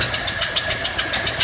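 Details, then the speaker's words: 1978 Ford F150 302 V8 idling on a cold day after about 30 minutes running with no thermostat fitted: quick even puffing beat of about seven pulses a second over the idle; owner suspects blown head gasket. "I went ahead and we got a radiator in hearing all fired up just sound the same and then I'll show you why in a second we'll run it why I think it's got a bloody head gasket"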